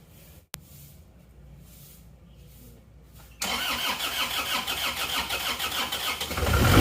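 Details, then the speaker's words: Isuzu Panther diesel that ran out of radiator coolant, cold morning start before repair: cranking drags about three seconds before catching, rough running, white smoke; hard start from seized piston and damaged liner. "putih cara mengatasi starternya agak sulit ya tadi jadi nggak langsung cengreng"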